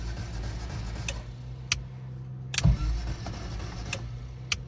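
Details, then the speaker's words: Toyota Tercel 4WD wagon with a swapped DOHC engine, off the road 3–4 years: the starter spins the engine fast and evenly with no compression pulses and no firing. The owner suspects no compression, and no fuel pump is heard. "Sounds like it's just spinning just the crank like I've got no compression."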